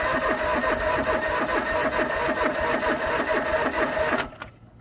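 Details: John Deere 445 fuel-injected garden tractor, parked about 8 years unstarted, cranking with tank bone dry: steady two beats a second starter churn, not a single pop. No start, out of fuel.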